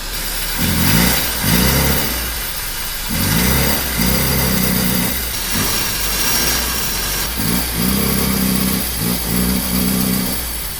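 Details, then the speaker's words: 1976 Toyota Hilux Chinook camper, 20R engine, revived after sitting for years. Engine blipped in short bursts with a loose rattle riding on the revs. Suspected timing chain slapping something, not confirmed. "That's a timing chain hitting against the wall of something. That's exactly what it sounds like to me."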